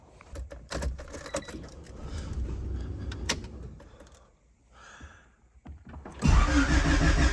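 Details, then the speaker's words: Turbo Honda Civic cold start before an oil change, oil with about 100 miles on it, followed by about 7-minute drive to warm up; keys rattle, brief crank, catches near six seconds into strong even fast idle; normal cold start. "maybe good old cold start just like that about 7 minute cruise warm them up"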